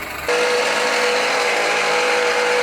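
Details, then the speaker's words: 2013 Jeep Patriot Limited 4WD engine running, accessories still working: steady rough grinding hiss with a fixed tone near 500 Hz; a belt-driven accessory bearing failing, traced to the alternator, which was replaced along with the tensioner and idlers. "there is a part that is in the process of failing. It hasn't totally failed yet, but something's about to go down."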